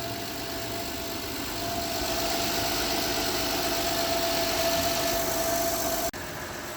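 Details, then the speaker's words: 2013 Honda Odyssey after a valve adjustment fixed a misfire (a shop had claimed low compression; the valves were found very loose): it starts right up and idles with an even, steady hum, no knocks, stumbles or misses, and no engine lights. Normal idle. "start right up running smooth run smooth no engine lights no nothing that smooth smooth"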